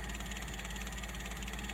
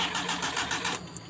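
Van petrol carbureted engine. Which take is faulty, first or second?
second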